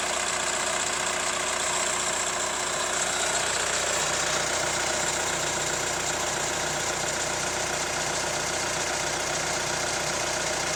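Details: Hyundai ix35 CRDi 136 hp diesel, hot idle: light, uneven tapping about two or three knocks a second; owner suspects hydraulic lifters or chain tensioner, source unclear; engine knock at hot idle.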